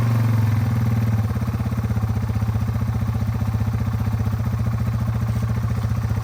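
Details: 2001 Yamaha TTR 225 after four years sitting and carburetor cleaning, first start with jump pack: single cylinder settles into steady, even thumping idle with no stumbles, ticks or misses; idles smooth and healthy.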